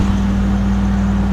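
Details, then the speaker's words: Carrier Desertmaster window air conditioner, made in Saudi Arabia, loudest unit in the house: loud, steady low hum with a strong buzz near 200 Hz and heavy vibration; it was reportedly louder last time, cause unclear. "kind of vibrating a lot although I think it was louder last time it was running"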